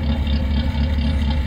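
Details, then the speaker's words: Exhaust-side recording of an engine idling unevenly, the low thump rising and falling irregularly, after idle air valve calibration and TPS sensor replacement; it now holds revs, but an unknown internal engine fault remains; sounds like jumped timing, unconfirmed. "Y en el escape, pues chequen, se escucha disparejo el motor."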